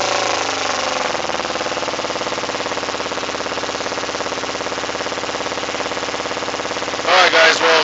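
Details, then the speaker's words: 2008 Kawasaki Ninja 250R with K&N filter and new plugs, exhaust smells of raw fuel; after a blip revs hang raised several seconds before dropping, with a pop; slow return to idle, owner suspects rejet needed. "let's see what happens when I try to rub a little bit okay she's kind of acting normal let's see look how long it takes for her to drop down and I'm sure you guys heard that pop"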